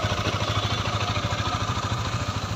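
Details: Honda CBR motorcycle engine idling: even, steady thump at roughly eight beats a second with no knocks or misses; smooth, normal idle.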